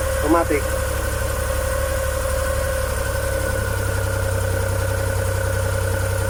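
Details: Suzuki F6A three-cylinder petrol engine, rear-mounted in a Multicab, idles steadily and evenly with a smooth hum and no knocks or misses. It had been hard to start because the valves were binding after overheating when the oil nearly ran dry. Runs normally.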